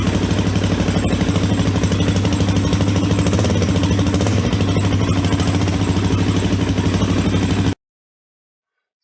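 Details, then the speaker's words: Suzuki DRZ400 single-cylinder idle with a loud, regular metallic ting about three a second from the FCR carburetor, louder when air-fuel mixture and idle speed are poorly adjusted. "the fcr makes two noises mainly which is The Ting Ting Ting noise on on idling if it's not usually it's uh much louder um or or loud like this if it's not adjusted properly if your air air fuel mixture and your your idle s"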